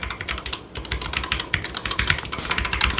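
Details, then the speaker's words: Redragon K621 Horus TKL wireless low-profile mechanical keyboard with Redragon-branded switches: crisp, even clacks at a quick typing pace, with clean, consistent keystrokes and no rattle; the switches sound good. "Um, the switches actually sound really nice."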